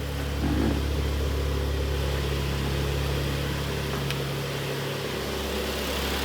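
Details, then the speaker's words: Idle after engine overhaul (piston knock repair) on a 2013 Kia Sportage G4KD, AWD automatic, about 170,000 km, warmed to 90°C operating temperature, heard from outside: smooth, quiet, even idle hum with no knocks or ticks; normal idle. "работает ровненько работает тихо Это самое главное"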